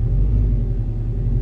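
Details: 2004 Subaru Forester XT running after a fuel pump replacement, before final reassembly; the pump's bottom rubber piece was left off and might be noisier. Steady deep engine rumble with no pump whine or buzz over the exhaust; sounds normal.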